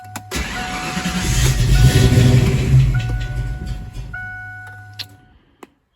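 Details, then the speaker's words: Ford Foxbody Mustang warmed to full temperature after its first start of the day, with a new coolant temperature sensor: long cranking churn before catching and running unevenly briefly; hot restart still struggles, so the sensor was not the fix. "I've replaced that coolant temperature sensor. And it's time to find out if that is what has fixed the issue. And it is not."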